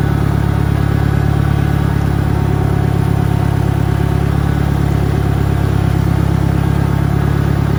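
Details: 1963 John Deere 1010 tractor, original and properly maintained, on a backyard lap; smooth, steady low engine throb, no knocks or grinding; normal gearbox noise.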